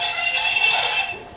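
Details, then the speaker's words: Returned non-working Sun Joe reel mower, unboxed: short harsh high metallic scrape and ring fading as the reel stops; blades binding at the bottom on the bed knife instead of spinning free, fixed by adjustment. "And the blades aren't turning on it, I don't think, as you can hear. They're binding up right down here on the bottom."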